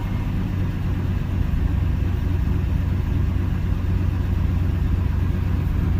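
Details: 305 H.O. small-block Chevy restarted after sitting an hour, accelerator pump squirt confirmed: steady low rumble with even beat near two per second, no miss or stumble; fires and settles into normal idle.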